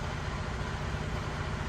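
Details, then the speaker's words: Freightliner Cascadia 2016–2017 with automatic transmission, diesel, idling steadily after a long crank, which is normal for it. Fresh service: new fuel filters. Deep, even rumble with no knocks or misses: normal idle. "all right sounds good so let's uh let it run for a little bit"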